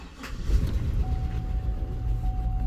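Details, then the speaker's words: Cadillac Escalade 6.0L LQ9 V8 with P0300 random misfire (plugs, wires and coil swaps didn't fix): rough, stumbling idle with misfires on cylinders 2 and 6. "hear it runs like absolute dog crap here we go cylinder 2 and cylinder six two and six that's what my problem is anything else no other misfires other than two and six"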